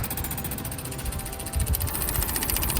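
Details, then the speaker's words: Old backhoe after a new fuel pump was installed, master switch on: rapid, even ticking about ten per second with a faint rumble beneath as the pump pushes air out and draws fuel up normally. "Oh, there it starts to come. You can hear the air. And there's fuel."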